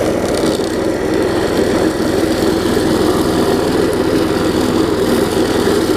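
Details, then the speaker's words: Quantum-powered 3.5 hp weed trimmer with new carburetor, test run after tightening the loose belt; loud, even drone at steady speed with no knocks, belt squeal or misses. Normal running. "so you hear it runs gets a little loud but nothing too bad"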